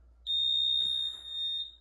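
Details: 2008 Jeanneau Prestige 36 motor boat, annually serviced and stored ashore each winter. The bow thruster control gives a single clean high-pitched beep lasting over a second as it switches on, a normal power-on confirming the thruster is active.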